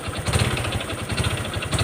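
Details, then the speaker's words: Honda Wave 125 single-cylinder motorcycle, rod previously pressed once: hard metallic knocking in bursts sharpening with each throttle blip over idle, plus high whine; failed connecting rod big end, engine to be rebuilt with all new parts. "แค่นี้ก็รู้นะนี่เสียงก้านก้านกลางมันพังครับแล้วก็ทิ้งแหลมวิ้วๆๆนะครับ"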